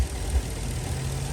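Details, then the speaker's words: Ford truck idling after a 6R100 transmission replacement with a new cooler and air filter, after a test drive: low, steady, even idle hum with no knocks, misses or rhythm changes; normal idle. "she's running ready to go i'm gonna do a couple more drive cycles before we deliver it to our customer but they're gonna be very happy"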